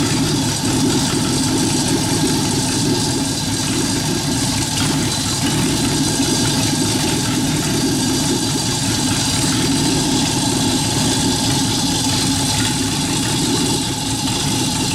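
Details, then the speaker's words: Engine idling to drive a York AC compressor converted to pump air for a rat rod air bag system, pressure switch set around 85–100 psi: even, steady idle with a faint constant hum, no knocks or surges; normal. "so I'm crank it up and just let it idle to show you how fast this builds up pressure idle"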